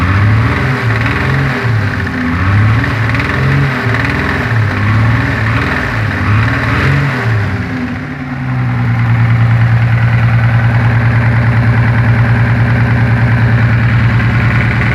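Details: Toyota Supra 7M-GE naturally aspirated petrol six, newly installed engine driven twice: revs then settles to idle with steady knock about three beats a second, owner thinks it sounds under valve cover, suspects rod knock; cause unconfirmed.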